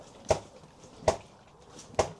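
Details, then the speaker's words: KTM enduro bike after reassembly, bounced by hand: three sharp metallic clunks about a second apart, metal-on-metal knock on sit-down and rebound; owner suspects the never-serviced rear shock. "If you can hear that, that sort of unhealthy metal touching metal sound. Um, I think it's the Oh, sorry about that. Uh, yeah. So, I think that sound is it's radiating in the shock in the rear shock."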